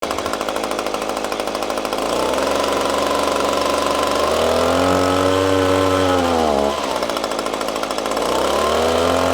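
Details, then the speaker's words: Echo PB-250LN handheld two-stroke gas blower bogging down when throttled up: revs climb, then pitch sags and stumbles before recovering; spark arrestor ruled out, later traced to carburetor adjusting screw. "what we have today is a blower an echo PB 250 L n that a buddy of ours brought to us because it's having an issue when you throttle up it bogs down"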